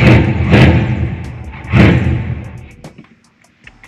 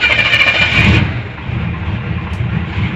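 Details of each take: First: 454 big-block square-body Chevy dually, first start after fitting an Edelbrock 1411 750cfm electric-choke carb with the spacer removed: it catches and revs in bursts, sags between blips and dies unless throttle is held. Owner suspects idle set too low now that the vacuum leak is gone. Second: 454 big-block Chevy dually with a new Edelbrock 1411 750cfm carb, spacer removed to cure a vacuum leak and idle screw turned in: it starts with no gas and settles into a steady, even idle with no hiss, so the vacuum leak is fixed.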